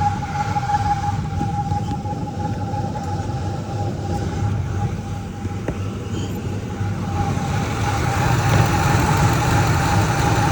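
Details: 2003 Ford Expedition, about 295,000–300,000 miles, started cold, only once at operating temperature: steady high-pitched chirping over a low idle rumble, strongest in one area of the front belt drive; exact pulley unknown, owner plans WD-40 test.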